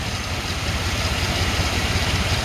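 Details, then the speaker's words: Chevy Silverado K1500 small-block V8 farm truck, 242,000 miles, after coolant change and Bars Stop Leak: steady even low rumble with smooth regular beat, no knocks or misses, no smoke; normal idle. "couldn't run the motor though that many miles 240 000 miles and this thing runs like a champ doesn't smoke"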